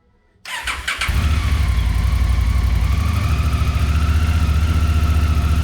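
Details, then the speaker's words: Honda Africa Twin first start after valve inspection, oil, coolant and brake fluid change, spark plug caps and air filters replaced: starter whirs briefly, twin catches within a second and settles into a steady, even idle; runs healthy. "So after a successful startup, here's how she's looking. I pretty much just got it ready to run, and I wanted to make sure it would run right before I went any farther."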